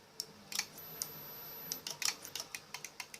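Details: Old HP 17-inch CRT computer monitor that shuts off, power connected, heavy load drawn: sharp dry ticks in uneven bursts a few times a second over near silence; power supply ticking, power transistor suspected but not confirmed.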